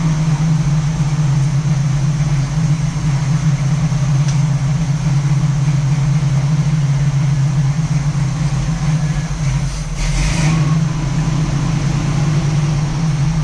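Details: 1967 Camaro SS clone V8, first startup after sitting parked since 2000, a couple gallons of gas added, ignition hand-wired: steady deep idle burble with even low rumble, no knocks or misses; healthy, fuel possibly running low.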